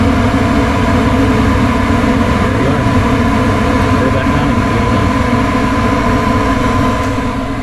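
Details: Furnace on a no-heat call, power restored after part replacement: steady even whoosh of inducer and burner, no clicking, stumbling or surging; furnace running normally.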